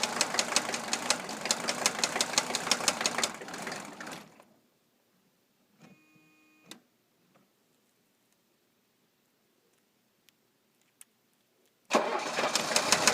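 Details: 1982 Mercedes-Benz 300SD turbo diesel: hard regular knock about three per second, stops then restarts; sounds like a rod but seems to come from fuel distributor; vegetable oil system bypassed, still seems fuel-starved; cause unconfirmed.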